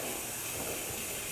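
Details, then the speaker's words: Midmark M9/M11 autoclave heating up: steady airy hiss of air and steam venting through the steam trap, which has not yet sealed off; normal, it seals shortly. "Anybody, you can hear it hissing. Air is coming through the, this has a steam trap. The steam trap hasn't sealed off yet, but it will in a minute."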